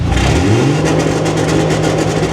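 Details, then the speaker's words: Dodge L-head flathead in a vintage off-road wrecker, new EFI on MaxxECU Mini: engine held near 3,000 rpm breaks into a rapid, regular stutter of sharp cuts, like the old ignition rev limiter; ignition-cut rev limiter hitting. "did sound different. That sounded a little bit like my old rev limiter, which was an ignition rev limiter."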